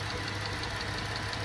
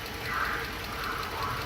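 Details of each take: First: 2012 Dodge Charger, 220,000 miles, check engine light and misfire complaint, running after compression test with parts reinstalled: steady, even idle with a smooth low hum, no stumbles; misfire not apparent at this moment, motor mounts suspected of disturbing a connector. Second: High-mileage Dodge Charger V6, about 220,000 miles, idling with a bad misfire: small, light ticking over the engine note; new oil filter adapter housing and aftermarket O2 sensors recently fitted by another shop.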